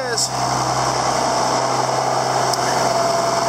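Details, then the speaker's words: John Deere 7410 tractor, first start after a 10–12 hour rebuild, in park: steady low diesel drone with an even, unbroken idle, no knocks or misses. Healthy idle. "There it is. She runs."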